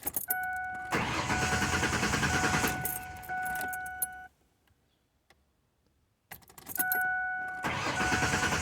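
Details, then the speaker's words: Truck suspected of a bad fuel pump, cranked after spraying into the intake: repeated cranking bursts, catching briefly then dying, no steady run; fuel starvation suspected, not confirmed. "Okay, so now I'm back in the truck. It act like it wanted to start, so I'm gonna spray a little bit more."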